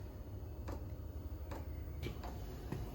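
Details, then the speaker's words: Chinese diesel air heater newly installed in a Ford Transit Jumbo camper, first start-up: crisp ticks about twice a second over a low fan rumble as the dosing pump clicks away normally. "So one good push on there. That should start kicking off. We've got action. Come on, baby. There we go. Pump's kicking off."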